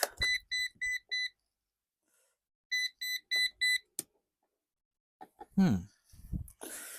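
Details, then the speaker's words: Eufy RoboVac with new motor fitted, battery failing: two sets of four short high even beeps with a pause between, the four-beep error meaning power level too low; low-battery alert. "Four beeps. RoboVox power level is too low."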